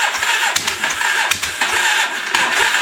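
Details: Old used motorcycle, long given up for dead, cranked while checking for spark: starter churns in uneven bursts and the engine catches with a few sharp firing pops but never settles into running; cranks and fires, won't start.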